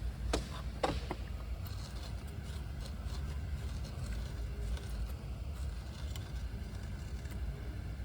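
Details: BMW E92 M3 with naturally aspirated 4.0 L S65 V8 idling with a steady, even low rumble, no hunting, after throttle valve cleaning and linkage lubrication; previously rough idle, oil smell, high fuel use.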